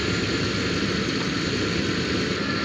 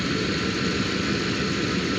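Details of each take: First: Jeep Grand Cherokee ZJ, engine idling during AC recharge from a can: steady idle with a faint thin whine as the previously inactive compressor clutch engages; AC compressor running normally. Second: Jeep Grand Cherokee ZJ at idle during an AC recharge: constant compressor hum, clutch engaged once refrigerant was added to the low system; compressor running normally.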